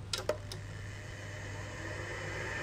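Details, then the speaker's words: Seagate ST-251 hard drive in a Wyse 286 2112-40 computer; a couple of sharp clicks then a soft whir building steadily, normal spin-up. "the seagate st 251 mlc one might as well give the old hard drive a bit of a start-up while I've got it all hooked up just so you can have a listen beautiful noises"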